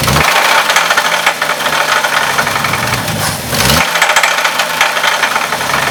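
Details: Hard, irregular metallic knock over a low idle, right after timing was set, with vacuum lines loose; rod-bearing knock on the same reused crank despite the UTG donated parts.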